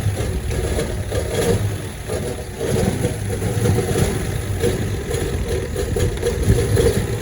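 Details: 1972 Chevrolet Constantia (Holden) petrol engine: uneven lumpy idle with wavering, sagging note; rough running, cause unknown.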